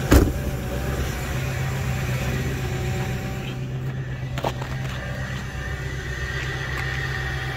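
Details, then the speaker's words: Ford Powerstroke diesel (6.0 or 6.7 L) cold start at 11°F: glow plugs cycled until the wait-to-start light went off, and it fired first try. Even, steady clatter and firm low drone with no misses or knocks. Normal gray-white cold smoke, turbo heard spooling. "oh man oh oh she fired right up no problems"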